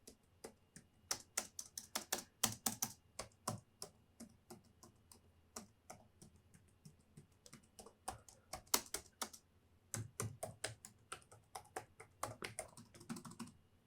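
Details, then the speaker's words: Casper Excalibur G900 laptop (i7 11th gen, RTX 3060 6GB) keyboard, typing with narration muted: quick, light, irregular taps with soft, clean clicks and no rattle or sticking; a normal, quite silent keyboard. "arkadaşlar klavyemizi sesi bu şekildeydi klavye gerçekten güzel bir hassasiyeti var böyle yani kötü söyleyebileceğim hiçbir şey yok şu klavyeyle ilgili normal sıradan bir klavye zaten bayağı bir sessiz çalışıyor"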